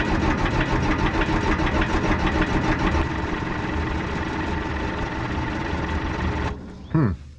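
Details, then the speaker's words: 1975 Cat D3 dozer diesel, start attempt without preheating on a warm day: labouring crank for several seconds without catching, then spins down; fuel smoke visible at exhaust, owner suspects it needs preheating. "it's got fuel like I can see the uh the smoke going through the exhaust let it sit for a minute I'll give it another try I may need to do some preheating"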